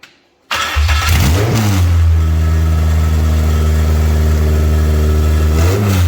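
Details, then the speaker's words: K24-swapped Toyota MR2, first start after fixing crossed fuel pump wires that ran the pump backwards and blowing out the fuel lines: catches after a brief crank and settles into a steady, even idle, running on its own; sounds good. "you guys heard it run running on its own now sounds good"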